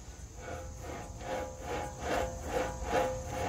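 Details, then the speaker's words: BMW 535i xDrive F10 front wheel bearing hub assembly, hub unbolted and turned by hand: rough, gritty rasp surging with each turn about twice a second; badly worn, grinding bearing being replaced. "that's why we we're changing it it's really grinding it's really bad"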